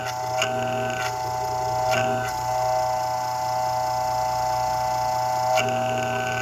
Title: bad bearings in freshnd aire motor